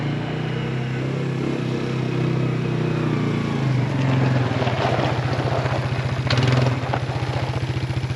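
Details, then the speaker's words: 2004 Suzuki Ozark 250 ATV, long unrun, just fitted with a replacement carburetor plus tune-up; single-cylinder thump running fast and fairly even, idling slightly high, owner plans to adjust idle further. Running better than in years. "She hasn't ran that well in years. It's idling a little high though, so we're going to tweak that a little bit more."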